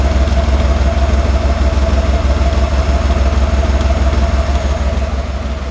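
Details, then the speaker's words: 1991 Cadillac Brougham V8 at idle after cat-back exhaust replacement with new resonator and Walker Quiet-Flow SS stainless muffler: deep, steady, even burble, about 68 dB, no rattles, hisses or drone. "debel meter here's what we have kind of about the same maybe about 68 DB and here's what the exhaust sounds"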